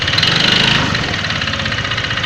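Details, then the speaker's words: Honda Vario FI 125 scooter that has just been serviced: rough, diesel-like clatter at idle with a quick regular knock that gets louder when revved. Suspected worn connecting rod; not yet checked. "Apakah mendengar dengan suara mesin yang kasar seperti diesel? Ini kalau digas tambah kenceng."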